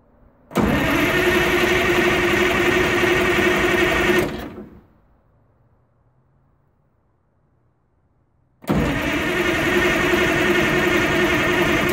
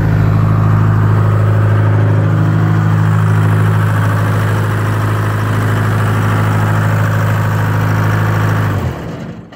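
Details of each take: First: 1980 Michigan Clark 55B loader, Detroit Diesel, newly rewired, after a leaking injector fix and bleeding: two bursts of cranking at about four compression pulses a second with no firing. It turns over but won't start; the battery needs charging. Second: 1980 Michigan Clark 55B loader, Detroit Diesel, freshly rewired and started from the cab switch after a leaking injector was fixed; deep idle stays steady and even for about nine seconds, then winds down at shutdown, no knocks or misses.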